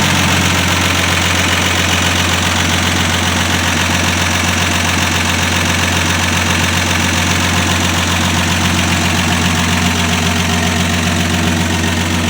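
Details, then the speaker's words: 1965 Dodge Dart with 225 cid Slant Six, cold start: steady, even idle with a smooth low hum and no missing or knocking beats; healthy cold-start idle. "Well, as you can see, it's running. Sounds great."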